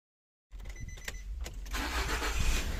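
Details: 2009 Nissan X-Trail with low mileage, towed in: starter cranks the engine at a steady pace, about four turns a second, but it never catches; crank, no start, diagnosed by checking fuel, air, compression, timing and spark.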